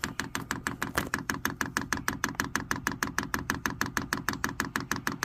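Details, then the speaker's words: New Vevor Chinese diesel heater being primed for the first time after holding the down key for 7 seconds. The dosing pump gives crisp, even ticks about 1.5 per second, quieter than expected, with nothing else running. Normal fuel pump priming. "That ticking ain't bad. I thought a lot of videos it sounds like it's just crazy loud."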